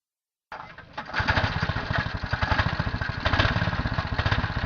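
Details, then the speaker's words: Buggy project small engine after swapping a platinum spark plug back to the original to cure backfiring: catches after short crank, settles into quick steady thumping with no pops or backfires; normal running. "I'm starting sounds good"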